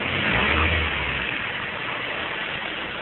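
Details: Mazda 3 1.6 Z6 petrol engine, no hydraulic lifters, valve clearances set by shim selection: idling and revving with uneven light tapping about twice a second; engine ticking knock of unclear origin, possibly valvetrain.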